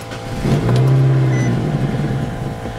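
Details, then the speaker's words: 2007 Nissan Sentra 2.0-liter, about 13 years old, after dying while driving as if out of gas; with the intake boot off and starting fluid sprayed, it catches and surges roughly for about two seconds, then dies; spark and compression are fine, so the fuel pump is probably dead. "it did start it did run which tells me it's got enough compression to go off that low fuel and it's got spark so that tells me that the fuel pump is probably dead"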